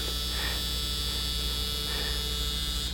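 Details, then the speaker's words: Nokia Lumia 900 vibrate motor: loud, steady, high buzz with a metallic rattle like an electric razor for about three seconds, then stops; confirmed on another unit to be normal for this model, unlike the quieter Lumia 800. "It's almost like an electric razor, and it's kind of borderline annoying. I actually thought there was something wrong with the vibrate feature on the 900, but turns out I've tested this on another version, and that's just the way it is."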